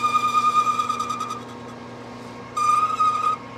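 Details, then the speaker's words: Lathe boring the No. 2 Morse taper in a wood-lathe spindle bore toward 0.700 in: a high singing squeal in two roughly one-second bursts over a quiet lathe. The boring bar is chattering in the cut. "it certainly sounds like it wants to chatter"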